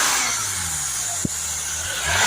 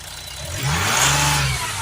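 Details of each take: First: Mercedes E350 V6 CDI diesel with high DPF soot/ash readings unchanged after cleaning, revved: loud rushing air hiss swelling with revs, spray deflected away; boost leak. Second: Mercedes E350 V6 CDI diesel with high DPF soot/ash readings, after refitting a crushed part that wasn't sealing and was letting air in: smooth even rev rise and fall, no hiss or puffing, no air escaping; sounds much better, normal revving.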